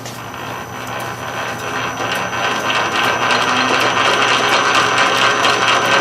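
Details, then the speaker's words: South Bend 13-inch lathe after repairing the sliding gear shaft and replacing the detent spring: steady metallic gear whir with light, even ticking about twice a second; normal gear train noise, no longer rubbing the banjo. "normal gear noise more or less now I can smack it in and we reached our other detent there"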